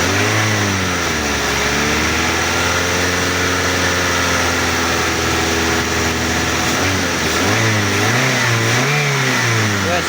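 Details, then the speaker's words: 2014 Avanza Type G, one owner and original, idling at about 700 rpm and then given throttle blips. The revs rise and fall smoothly with no knocks, rattles or misfires; the engine pulls strong and sounds healthy. "Kita cek di bagian ini, di bagian gasnya ya, karena saya repot nanti sekalian mau dengerin suara mesinnya. Nih. Macan suaranya."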